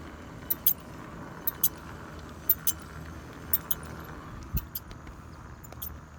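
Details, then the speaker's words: Ecotric Rocket e-bike disc brake, recorded on a cell phone while riding: paired metallic clinks about once a second over road rumble. A chafing, chattering noise develops after about four miles; front or rear is unclear. "after about four four miles it would start with this uh noise that was like a chafing noise and i couldn't really pinpoint where it was coming from the front or the rear"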